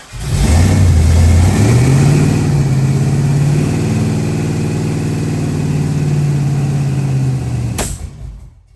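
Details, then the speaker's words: V8 after a new camshaft and new intake gaskets, at first start for cam break-in: starts right off but surges unevenly with a lumpy beat and backfires on throttle; valves suspected too tight or timing off, unconfirmed. "But it started right off. Sounds good. >> Yeah, but as soon as you gave it gas, it backfired."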